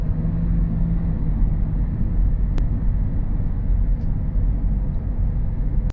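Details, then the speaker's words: Honda CR-V on a road test after a wheel bearing replacement, left side suspected. It had a noise that grew louder with speed; now a steady low road rumble at cruising speed with no hum or growl. Normal road noise. "and as you could hear in that last clip the wheelbarrow noise is gone it has been found and fixed and the vehicle is ready to go back to the customer"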